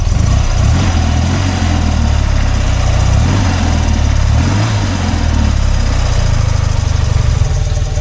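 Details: BMW R100RT boxer twin: short throttle blip climbs smoothly, settles back, and dies cleanly when switched off. Sounds healthy before strip-down.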